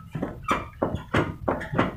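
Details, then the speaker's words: Honda CD 70 motorcycle rear fork: a sharp squeak about three times a second each time the bike is rocked; the silencer mount is rubbing the swingarm and needs spacing out. "यह देखें यह bike हिलाते हुए जो आवाज आ रही है"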